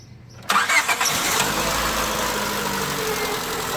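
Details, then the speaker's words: 2001-2005 Honda Civic automatic with battery power fine: starter catches on this try and engine fires to steady idle after earlier attempts only clicked; faulty starter motor with a bad spot. "okay yeah no that's that sounded like a bad starter cuz obviously you you got plenty of power and everything right"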